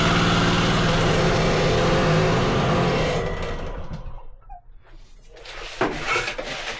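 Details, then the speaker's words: Wacker plate compactor on starting: a fast, even roar instead of dropping to idle, then it fades away. The throttle had been turned up and the carburettor throttle is sticking and not closing. "D that throttle's been turned up she with racing turn that Throttle Down nice sticky throttle on the car Breer it's not closing down"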